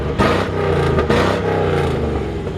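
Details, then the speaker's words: 1954 Ford F100 shortbed running, heard at the rear: deep throaty exhaust rumble rising cleanly on throttle blips and settling evenly; healthy engine note, with slight power steering whine noted. "It sounds amazing back here. This is a great sounding engine."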